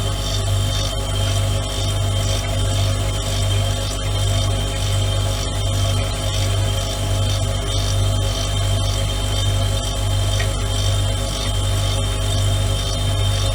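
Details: Siemens refrigerator after its compressor was replaced; steady low hum with a rough, pulsing grinding sound rising and falling about every 1.5 seconds, now at a different frequency than before.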